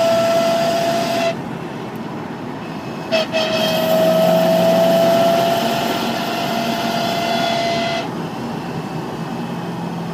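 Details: Corvette C5 driving in 3rd and 5th at about 2000 rpm: a steady high-pitched whine over road noise that follows road speed rather than engine rpm and is louder on light throttle; rear diff already replaced and transmission oil analysis okay.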